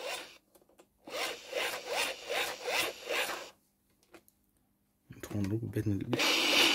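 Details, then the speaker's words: Eton FR-400 American Red Cross radio with a broken hand-crank generator handle, twisted back and forth. Rhythmic scraping rasp about three times a second, then the radio crackles and powers up. "sadly the handle is broken for the generator but i've been messing around with it so if i twist it backwards and forwards we can hear the radio start to come on"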